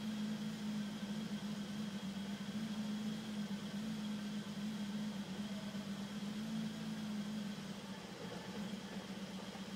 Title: E34 M5 rough idle problem